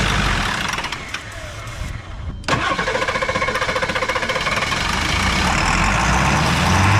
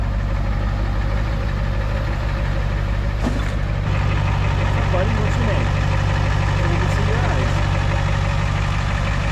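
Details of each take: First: Diesel truck that ran out of fuel, batteries dead and being jump-started: steady starter cranking about four compressions a second that never catches. Fuel starvation, air seen bleeding from fuel line while priming. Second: Diesel truck after being low on diesel and priming out an air pocket in the fuel hose: steady, even idle with a regular low knock around three beats a second, no stumble or hunting. Runs clean, normal idle.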